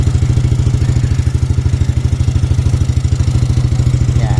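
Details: Yamaha NMAX v2 scooter at closed-throttle idle, after the noisy-engine complaint was traced to the tensioner and fixed: a steady, even low thrum with no ticking or rattle.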